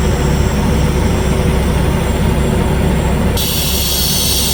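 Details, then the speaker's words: Volvo truck rear air suspension height control (leveling) valve with the engine running and no leaks at the valve: a loud, steady rush of air never cuts off once level, so the dump valve keeps dumping and is faulty. "Now you see there's no any leaks on the valve, but the dump well is still dumping. That is a problem."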